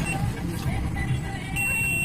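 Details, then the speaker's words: Sony Trinitron 21-inch CRT TV that would not turn on: the meter gives a steady high continuity beep with the probes either way round on the removed transistor, so it is shorted and must be replaced. "ये shorting बता रहा है, ये आप देख सकते हैं, ये शॉर्टिंग हमें बता रहा है उल्टा सीधा दोनों में। इसका मतलब ये हमारा खराब है।"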